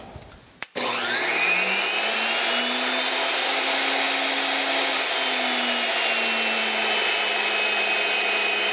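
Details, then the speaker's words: Delta 37-070 jointer motor, previously not running, after re-soldering connector legs, mounted in a chuck: switch-on, then smooth steady clean hum spinning up freely; repaired motor runs healthy. "look at that. It's working like a hot damn."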